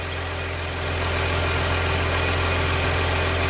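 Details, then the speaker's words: Jaguar X-Type with P0170 and P0174 codes, idling: steady idle with constant airy hiss heard through a garden hose held to an intake pipe; vacuum leak found on that pipe. "I put one end of the hose near to this one and one end to my ear and I heard strong noise"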